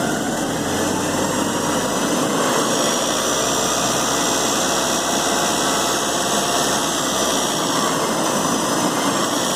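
Steady idle with a fine, continuous metallic rattle riding over the engine note; the source of the rattle can't be pinned down by ear.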